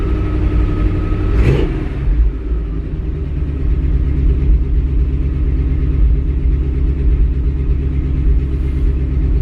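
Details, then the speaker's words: Cold-started V8 holding a fast, steady high idle that won't kick down, with a faint light tick from the right side; suspected exhaust leak. "Hearing a tick now too. Exhaust leak coming in."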